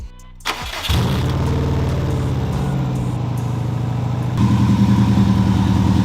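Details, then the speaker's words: 2002 Subaru WRX first start after sitting, low on fuel and leaking some coolant, blow-off valve held by hand: quick crank, catches at once and settles into a steady, even idle. "listen to that baby purr give her a little red skin all right guys so the soupy started as josh said"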